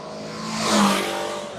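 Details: 1988 BMW K100RS with new spark plugs and fresh VP94 ethanol-free fuel: one clean throttle blip climbs smoothly and settles back to an even idle with no misses or knocks; engine sounds healthy.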